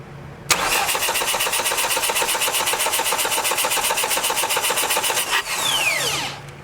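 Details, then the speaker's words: 1989 Dodge Daytona ES salvage-yard car, throttle-body injection: steady fast starter cranking about four beats a second for five seconds, never catches; fuel seen pouring in at the throttle body, injector suspected stuck open and flooding it. "oh man it's gas down in there that injector is flooding it out big time i'm probably going to have to change that injector out"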